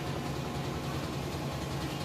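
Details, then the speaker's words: Frigidaire stacked washer and electric dryer unit, washer with a couple of towels, nearly new, door locked at full spin speed: steady, even low rumble with no rhythmic thumping or banging; balanced, stable, normal spin. "But it is spinning. Sounds great. See, it's nice and stable."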